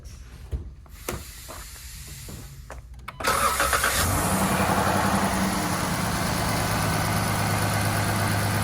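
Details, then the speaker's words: 2014 Dodge Charger 3.6 Pentastar, back for lifter tick a year after a lifter job, now repaired: engine cranks, catches and settles into a steady even idle with no top-end ticking; the tick is gone. "more ticking now for guys who watch my Channel all the time you know what the tick sounds like so that is now gone"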